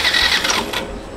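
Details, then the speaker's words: Yamaha FZ version 2 motorcycle cranked with a little throttle, current present then dropping out, pickup coil and ECU voltages checked good: short starter cranking burst that never catches; crank no start from faulty lean angle sensor. "একটু pick up দিলাম, এই যে দেখুন current আসতেছে, কিন্তু start হয় না।"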